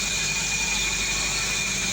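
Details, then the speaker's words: 2014 Suzuki Swift Dzire that sat a month with a crank, no-start from lost ECU communication, after ECU repair: smooth, steady idle with a faint high accessory whine and no stumbles or knocks; the engine sounds healthy. "start now the youu whichit we try to test it switch off then switch on yeah the ECU now is fixed and working"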